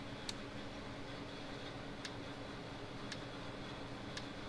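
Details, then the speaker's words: 1970s Co-op model 6609 electric fence controller just after repair and soldering, first power-on: crisp, even single ticks about once a second over faint hum, flashing; pulsing normally. "There it goes. Look at it clicking right along, flashing and everything."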